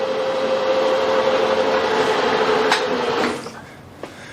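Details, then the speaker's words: Victoria milling machine spindle-to-table-feed chain drive, noisy at high speed before the chain was tensioned and oiled; at top shaft speed, no load: smooth, steady whirr with constant tone, then stops; chain runs quietly and normally. "now it could be noisier when it's under load but i'm happy with that"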